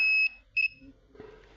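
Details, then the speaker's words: Redmi 9A dead phone: two short high continuity beeps as the probe touches a CPU-corner capacitor of the 3.0 V USB line, beeping on both sides; the line is shorted to ground. "देखिए इस side भी beep की आवाज़ आ रही है, और इसके इस साइड भी बीप की आवाज़ आ रही है, दोनों साइड बीप की आवाज़।"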